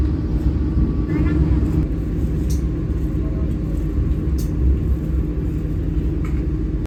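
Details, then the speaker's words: Inside a closed passenger coach of the new-generation modified economy car K3 0 14 45 on the Blambangan Ekspres train, doors shut: loud, constant low rumble with rattling texture and no rhythm; excessive cabin noise, cause unknown. "ini saya berada di kabin penumpang Serasa di Bordes suaranya loh berisik banget Padahal pintunya sudah ditutup depan dan belakang"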